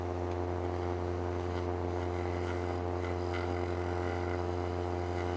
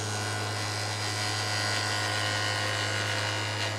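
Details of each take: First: Woodturning a raised winged bowl on a lathe: steady hum with a quiet, even cut; the larger cutter puts more surface into the wood, giving less chatter than earlier, when pressing too hard on the rub caused chatter. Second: Wood lathe turning a raised winged bowl: the cutting tool chatters against the spinning wood with a buzzy rattle over the steady hum, from a wide cut; the tool should float.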